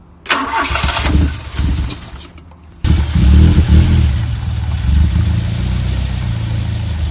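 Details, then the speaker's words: Fire-damaged car: starter cranks briefly, then engine catches and settles into steady, even idle with no misfire; starts and runs cleanly. "well what you just saw then was my car running midweek SEP just came out to my car like after I finished work"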